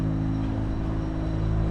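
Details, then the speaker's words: Turbo VQ35 S13 240 with Link ECU and a new full straight-pipe exhaust with Vibrant resonator: a low, smooth, quiet, well-muffled drone at idle with no rasp or rattle; healthy exhaust. "And as you can see, it's nice and quiet. It's literally a straight pipe, but it has a vibrant resonator."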